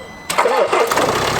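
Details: 2016 Land Rover Discovery Sport Ingenium D180 2.0L diesel, cold start below 10°C: starter catches quickly and it settles into an even idle with no chain clatter; compared before versus after timing chain replacement.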